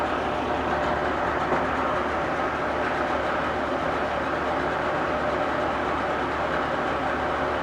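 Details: 1996 Force 40 hp two-stroke outboard, 20-inch long shaft remote, 145 psi compression on both cylinders, new plugs, impeller and fuel filter, cleaned fuel system: steady, even drone with a low hum, no knocks or misses; runs smoothly.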